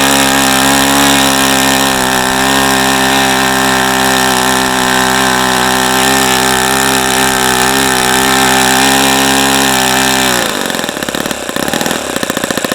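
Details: ASP FS65 glow engine on a stand at 29°F after a lighter-fluid start, running an APC 12x6 prop, OS F plug and 5% nitro fuel. High steady screaming buzz holding even pitch for ten seconds, then cutting off cleanly: normal running.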